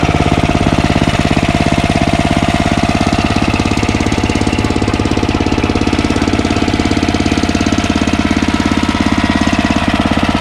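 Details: Ariens ST1128 snowblower, 11HP Tecumseh Snow King engine, after carburetor cleaning fixed surging, warm but not hot after running a while: steady, evenly spaced single-cylinder thumping at constant speed, no hunting or surging; runs smoothly.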